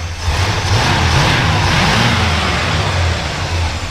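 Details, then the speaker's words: 1968 Chevrolet Impala V8 with power steering, fresh motor mounts all round and engine serviced: deep, steady rumble under a light throttle blip, even and smooth with no tapping or misfire; healthy revving. "note actually runs really nice and starts starts nice very sneak go ahead and rev it up a little bit"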